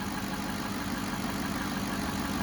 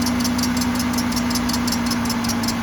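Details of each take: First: 2007 Cadillac DTS Northstar V8 idling smoothly after power steering pump replacement: steady hum with no belt chirp, normal. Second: 2007 Cadillac DTS at idle: sharp regular chirps about two and a half per second plus faint whine; rebuilt power steering pump confirmed at fault, suspected piece of metal stuck inside it.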